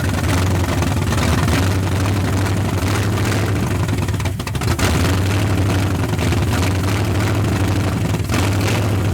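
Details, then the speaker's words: 1981 Ford Mustang 5.0 V8 parked since 1996, 14-year-old oil, believed low-mileage engine, run briefly without radiator, nearly 50 psi oil pressure: deep steady even rumble, no knocks or ticks; sounds tight. "She's tight. It sounds like a fairly new engine. I think the guy was right."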